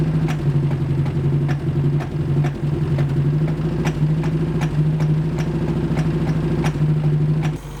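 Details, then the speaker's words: Mercury Capri Turbo RS turbo four-cylinder running after 23 years: rough idle with an intermittent sharp tick about twice a second, smoke from the carburetor and sides, then dies; cracked exhaust manifold, owner suspects a valve coming and going. "So the exhaust manifold's cracked. Might have to pull the valve cover off and see what's going on, but it's only intermittent though. That's so strange. Like it'll just break up randomly."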